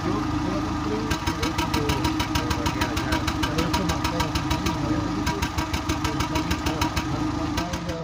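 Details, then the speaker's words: Seat Ibiza 6L 1.4 petrol idling with engine light on: a lumpy, uneven beat with sharp exhaust puffs as it runs on three cylinders; a misfire later traced to a cylinder 4 combustion fault code, with coil and plugs to be checked. "we have the engine light on it comes on and now we are going to listen to it as with a misfire it hits a head and stops sometimes it becomes like a three cylinder"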